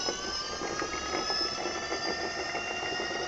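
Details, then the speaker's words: Electric motor after bearing and seal replacement, running in reverse: smooth even hum, clean sound with no rumble, grind or ticking; normal motor run after repair. "motor funcionando perfectamente no hay ruido extraño es el ruido limpio de él"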